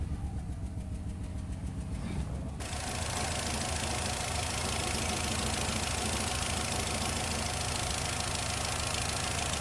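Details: 2008 Nissan Rogue with check engine light and possible misfire code P0300: uneven idle with a loose, irregular engine rattle, louder nearer the source. Rough idle, worse in low gear; misfire suspected, cause undiagnosed.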